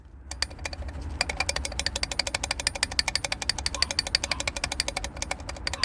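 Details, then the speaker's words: Toyota Avensis turbo: fast sharp ticking about three per second over a low engine hum, a dry rattle from the impeller or shaft because dirty oil formed sludge blocking the turbo's oil passages; turbo noise from oil starvation. "That's the sounds of the turbo impeller or the job shaft gun. The reason why, because the oil is dirty, and when the oil gets dirty, it's forming into sludge, and when it's forming sludge, it will block up the whole passage of the oil passage of the turbo."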